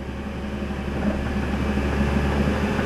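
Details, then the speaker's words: Chevrolet Sonic with code C0035, driver front wheel speed sensor circuit; engine hum as rpm is raised with faint uneven clicks about three a second: ABS module clicking from an erratic signal. "you can easily hear the ABS module clicking there's a lot of static there's a lot of noise"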